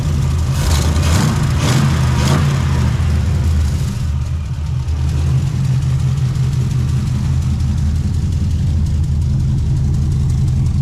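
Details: Honda S2000 startup in previous owner's as-built condition: after a brief rev, settles to a steady, even warm idle around 650–700 rpm with no knocks or misses; sounds healthy.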